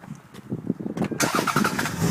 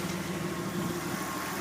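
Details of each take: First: Power steering line just reconnected; engine started while refilling fluid. After a brief crank it idles with a steady pump whine, fluid bubbling: low fluid and air in the system. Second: Engine idling after a power steering fluid flush and refill; the earlier whining and bubbling has stopped, steady even idle, pump quiet and system full.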